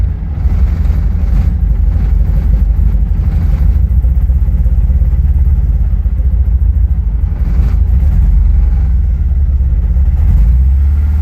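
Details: 1986 Porsche 944 n/a petrol engine with new wires, 2-degree timing advance and chip, misfiring above about 5000 rpm, settling from high revs into an uneven, stumbling rough idle that slowly steadies.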